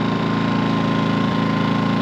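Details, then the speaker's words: New Harbor Freight Predator 2000 W generator in eco mode with a light plugged in, throttled down until there is a demand; low, even, steady hum, much quieter, with no hunting or misses; healthy eco idle. "Let's put on eco mode. Eco mode here. I think that kicks the throttle down. Oh yeah. Listen to that. Way quieter. that throttles the uh motor down till there's a demand on it."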